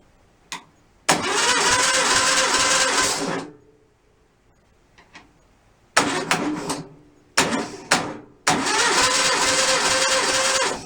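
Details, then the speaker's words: Freshly rebuilt stock 1600cc VW engine, compression test: steady, even cranking bursts about three beats a second; cylinder two reads 150. Normal compression test cranking. "all right here's number two we stopped at 150. i don't know if it's like harbor freight quality here all right stopping at 150 i'll take that cylinder number three okay we'll take that"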